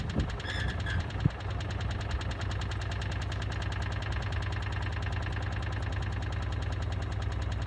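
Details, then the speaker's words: Miele W418 washing machine on final spin with a brick loaded in the drum: fast steady thumping rumble at full spin speed as the unbalanced brick hammers the drum. "It's coming up, I can hear the noise on it now."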